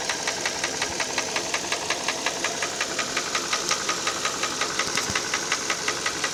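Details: Hyundai ix35 petrol engine: sharp, even ticking knock about three per second riding over a steady idle, clearly internal; source not pinned down.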